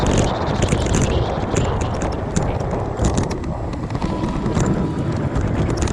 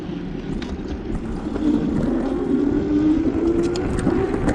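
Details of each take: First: Aipas A2 Elite bike front fork while riding over bumps: irregular metallic clanks and rattles. The fork leaks grease, has no cushion or rebound and runs metal to metal; fasteners were already tightened. Worn front suspension fork. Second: E-bike with a good front fork, ridden down the block for comparison with a bike whose fork rattles: a steady motor hum over tyre and road rumble, with no clunks or rattles from the front end.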